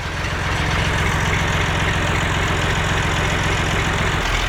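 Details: Massey Ferguson MF230 tractor, just restarted with brake cleaner sprayed into air filter, oil pressure present: steady, even idle with a low chug of about four beats a second, no knocks or misses; normal idle.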